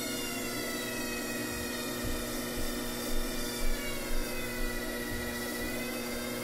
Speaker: i don't hear the squeak i think that's just the sound of the motor all right i think that means we did it